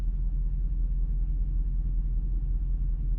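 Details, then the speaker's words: Dodge V8 that sat seven to eight months, idling at about 700–800 rpm after a 15-minute drive out and back, oil low and dirty, check-gauges and throttle body sensor lights came on: deep, even, smooth idle with no misses or knocks. "that sounds pretty smooth running a lot smoother i think it was just credited"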